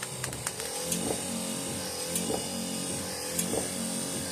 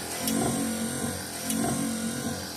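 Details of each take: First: 1968 Dodge Charger AWD body swap, wiper system after lubricating the wipers and refitting plastic bushing: steady motor hum with soft regular thump each sweep, about once a second; squeak gone, normal operation. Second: 1968 Dodge Charger AWD body swap, wipers running after the squeak was cured by spraying the wipers: steady motor hum with a light tick each sweep, about every 1.2 s, as the linkage hits burrs; to be fixed in a rebuild.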